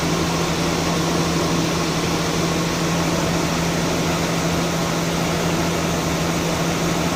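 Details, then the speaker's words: Mercedes-Benz S280 after A/C repair (leaking refrigerant hose replaced, compressor oil added, new drier and O-rings, recharged), engine revved: steady airflow hiss and low hum with electric front fan, no knocking or rattling; normal A/C operation. "เสียงการทำงานดีครับเร่งเครื่องหน่อยครับ"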